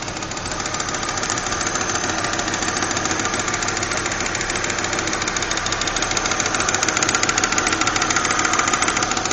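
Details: Volvo 850 GLT 1993 petrol engine with a loud, sharp ticking that speeds up as the engine is revved; cause unknown.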